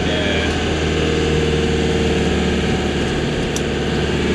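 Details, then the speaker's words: Old diesel van, loaded with a car trailer, at idle: loud rough rumble with an uneven clatter about four beats a second, knocking and lacking power. Owner suspects the turbo or a manifold leak; cause unconfirmed. "it sounds awful doesn't it sounds like it's knocking but it's not knocking i mean it definitely sounds like it's knocking"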